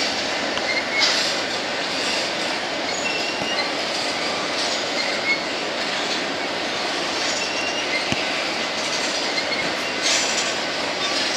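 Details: BNSF empty grain train at sunset, headed to North Dakota for reload, led by two GE locomotives: high thin squeals come and go over steady rolling rush of passing cars; a few wheels squealing, cause unknown.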